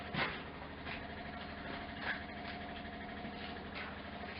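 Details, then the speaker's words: MGC GT automatic, just revived after sitting a long time. Key on, engine off: the electric fuel pump ticks steadily and quietly, about one click every two seconds, and is pumping fuel with about a quarter tank in it. "What do we get when we turn the key? Hands off. I can hear the pump clicking away. Oh, we're pumping gas."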